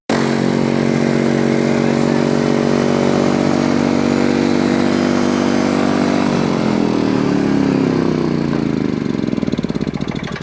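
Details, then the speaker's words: Four-wheeler engine revving at a high steady pitch while sitting at rest, then slowly winding down; idle speed far too high, a fast idle. "That's what I mean by fast idle. It sounds like it's zooming off, but it's just sitting here."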